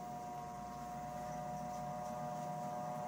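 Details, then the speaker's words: NordicTrack T Series 5 treadmill, newly assembled, raising its incline to level 3: steady motor hum with a clean tone near 700 Hz and no knocks or grinding as the deck rises. Normal incline motor operation. "not sure if you can see, but it is moving up. It is moving up incline to the height of 3."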